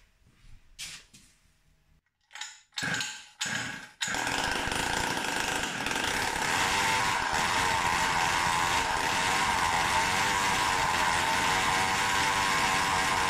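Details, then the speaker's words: Samurai 40cc two-stroke bike engine with new CDI heat sink, ignition advance being retuned (about 38–40 degrees set, actual timing later due to flywheel offset); flat steady scream that won't rev past about 8000 rpm, improving with more advance, fuel delivery ruled out. "it does up to 8000rpm or so but not more and it got better when I put more advance"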